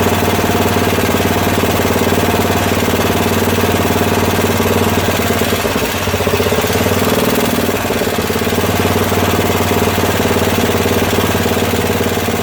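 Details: Craftsman tractor, 13 hp Tecumseh OHV single-cylinder, after valve work: thumps unevenly, beat surging and sagging, hunting rather than settling while being brought down to idle; fuel system suspected, not confirmed.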